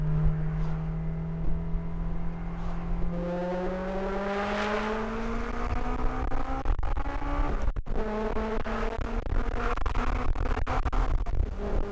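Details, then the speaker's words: Honda S2000 after timing chain tensioner replacement and fresh oil change (about 5,000 miles since the last one), top down on a small pull: engine note climbs smoothly through the revs with a brief shift break, no stumble; normal healthy acceleration. "But it feels like the usual, you know, right after an oil change, your car is happy"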